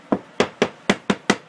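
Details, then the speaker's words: Knocking on floor tile where grout is cracking: six sharp taps about every quarter second sound hollow and papery, showing the tile is not properly cemented underneath, unlike solid-sounding tiles nearby. "all the growth that's missing here it's not that bad grow it's what's underneath the tile it's not properly cemented underneath"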